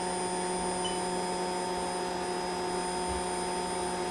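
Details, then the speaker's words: Hot air rework station, flawless for 10 years, set around 450 degrees: a steady blower roar with several fixed whistling tones on top, sounding like a leaf blower. The fan runs rough and overly loud. Noisy blower. "see forget the cap listen hot air sounds like the leaf slower my hair sounds like like we need to have a funeral for it"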